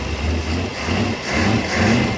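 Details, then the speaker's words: New built 350 Chevy V8 in a 1991 Malibu ski boat, timing advanced after stalling: deep, even burble; a small blip settles straight back to idle. 800 rpm, 40 oil pressure, 13 V, no thermostat so running cold, Velvet Drive. Responsive, normal idle. "much more responsive comes right back to idle idling right at 800 RPM I have oil pressure 40 idle voltage 13."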